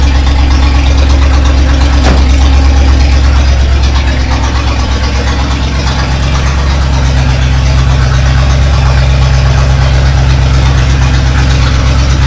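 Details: Rebuilt Chevy 283 V8 installed in a 1965 Nova wagon, first start: loud raw V8 idle rumble with harsh bark, one exhaust bank open with no pipe fitted; runs, exhaust to be fixed by a shop.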